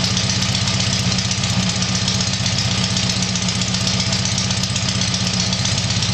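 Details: Tiger-1 engine (Bill's) after rebuild, steady even idle with a quick regular beat of roughly two and a half pulses a second, no knocking; normal idle.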